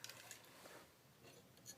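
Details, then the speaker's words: Arctic USB cooling fan coasting down after being switched off by remote: good spin-down time, spins freely, with a faint light scratching and ticking from its bearings. "It's a pretty good spin down time. Hear the bearings scratch a little"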